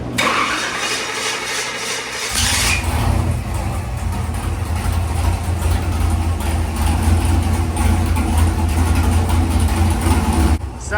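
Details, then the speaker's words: Big-block V8 in a 1970 Nova with 5-speed, after fixing a vacuum leak that had been messing it up: it cranks, catches and settles into a deep, lumpy but even idle with no hiss or stumble, so it runs properly; dyno pull made about 442 hp. "wo I was going to say that sounded pretty good what' it make Bob 442 I believe not bad not bad"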